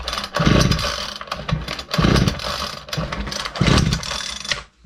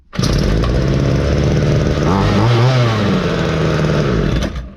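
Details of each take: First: Ryobi LT2 two-stroke petrol trimmer, with carburetor screws adjusted: short sputtering bursts on each pull that die away every time; fires but won't keep running, so the carburetor comes off next. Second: Ryobi LT2 two-stroke petrol trimmer after repair, with a cleaned spare foam air filter fitted and strong compression: fires up and holds a crisp, even buzz with a quick rev in the middle, no sputter; running right.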